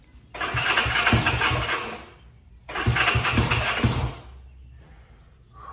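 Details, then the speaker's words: 1965 Honda CB77 Super Hawk twin, first start after restoration, on a little choke after the spark plugs were swapped around. It fires twice, running a couple of seconds each time with a lumpy, uneven beat before dying; the carburetors need adjusting. "It's doing something, guys. There really is no better feeling than that first startup after a long restoration. We're making progress. It's getting close. Carburetors need to be adjusted."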